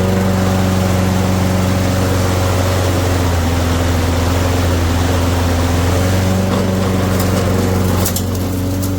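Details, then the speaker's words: Junked Toro mower with a ready-start (no prime, no choke) single-cylinder engine, freshly fueled, started first pull; holds a steady, smooth, unbroken drone with no misses or knocks. Normal running. "All right, I just got to stop it right there. What? First pull? Are you kidding me?"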